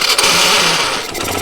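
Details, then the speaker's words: Suzuki Hayate self-starter motor, whose carbon brush has failed and whose plastic parts are broken: a harsh, high-pitched whirr and rattle from the starter armature, louder than normal, both when starting and when switching off. "ஆனால் அதே மாதிரி வந்து start ஆக சொல்லியும் சரி, of பண்ண சொல்லியும் சரி, அந்த செல்ஃப் மோட்டரோட அந்த ஆர்மிச்சரா அது இருக்குல்ல, அந்த இதோட சவுண்ட் மட்டும் கொஞ்சம் எக்ஸ்ட்ராவாக கேட்குது."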